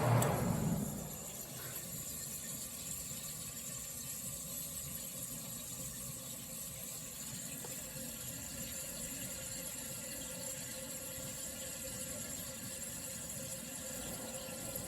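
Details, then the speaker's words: Vintage Sears Coldspot 28 dehumidifier, drawing about 5.9 amps and 520 watts when running: a clunk as it is shut off, then a quiet steady hiss and trickle of refrigerant equalizing; normal. "I know people like when uh Refrigeration units are shut off to hear the research on flowing so I guess I'll do that now"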